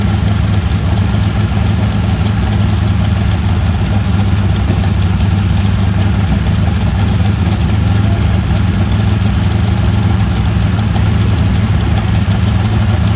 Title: Prat and Whitney R-935 first start in 18 years#cool #experiment #boom #aviation #engine#radialengine